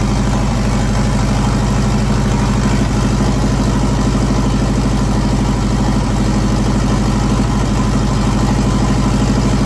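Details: JDM EJ20 turbo WRX engine swapped into a kit car, after fogging oil in bores: loud, deep, steady idle with even low rumble, no knocks or stumbles, running smoothly.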